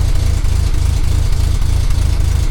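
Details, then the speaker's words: 1978 Austin Allegro on full choke, heard at the tailpipe after exhaust repair: steady low, even burble at idle with no puffing or ticking leaks, no longer blowing; normal exhaust note. "It does sound really nice compared to how it sounds, and it sounds lovely at the back, to be honest, without the exhaust blowing."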